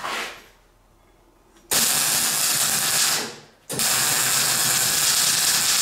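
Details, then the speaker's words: MIG welding on a classic Mini roll-over jig over uncleaned painted steel: two bursts of harsh crackling sizzle as the arc strikes. The erratic spatter is from paint and eases as the paint flakes off during welding. "Now you might hear that splatter, that's the paint. And the reason it's getting better is the paint is flaking off as I'm getting the weld done."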